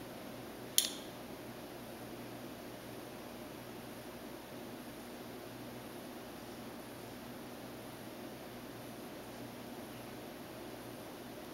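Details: SubZero 736TC freezer drawers, since a repair visit, temperature showing 35-46 degrees: two sharp clicks about 13 seconds apart over a quiet steady fan hum, in a cycle repeating roughly every two and a half minutes.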